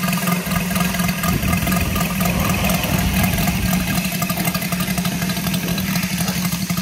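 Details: Saito FG-73 R5 gasoline engine, fully upgraded with MMM hardware and exhaust ring, 32:1 fuel mix, Biela 20x10 four-blade prop, low-speed run-up in 600-5500 RPM range; quick even firing with no misses or rattles, running healthy.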